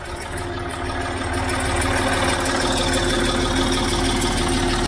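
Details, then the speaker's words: Land Rover Discovery 3 (LR3) TDV6 diesel run six years on the wrong oil, with low oil pressure: light, fairly regular tick-rattle about three a second over the idle, louder on one side than the driver's side; source not pinned down. "like a little rattling or a clicking noise."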